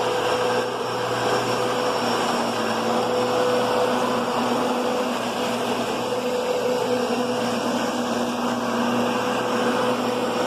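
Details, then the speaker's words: Kenmore Progressive vacuum: a loud steady roar with a whirring hum from the brushroll. The brushroll seems to be skimming the top of the carpet or not making proper contact, giving a noisy brushroll. "you can hear that brushroll it's making contact it's not like a curvy brushroll world this is kind of skimming the top or either swallowing it in too much or or just not hitting it"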